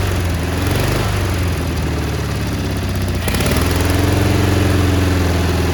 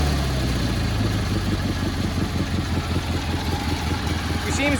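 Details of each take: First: Cub Cadet 1430 abandoned for years, fuel turned red, started on ether; idle hunts up and down, pitch dropping then climbing, uneven beat, surging while burning off deposits; one side possibly misfiring a little. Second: Cub Cadet 1430 lawn tractor after years sitting, new spark plug and carburetor mixture adjusted: settles into a steady even low thumping idle with no misses; normal idle.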